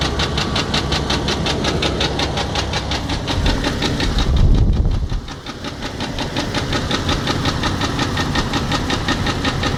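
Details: 2003 Jeep Grand Cherokee 4.0L at idle with a sharp regular ticking knock about three per second over the engine note; owner unsure whether broken piston skirt, rod knock or loose timing chain guide.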